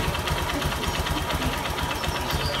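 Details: Honda Verza single-cylinder idling quickly and evenly with only light valve tick and no deep knock; owner found scored, damaged piston causing clattering and white smoke, valves, camshaft and timing chain checked fine; healthy-sounding idle.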